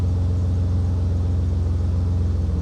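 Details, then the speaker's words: BMW E36 328i M52 after cam cover gasket replacement, coil pack work and an earlier idle control valve replacement: deep steady pulsing idle with no skips; all cylinders firing evenly, revs held well, owner notes a possible vacuum leak. "That's not misfiring. Hold on a second. That's purring like a kitten, that is. Ever since I did the idle control valve, it maintains revs a bit better."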